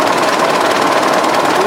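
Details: 1920s 45 hp General Electric genset, serviced after over 10 years unrun, exhaust piped outside: fast, even beat and steady chuffing, no knocks or misses; intake frosting at about 65°F outside; pretty healthy sound.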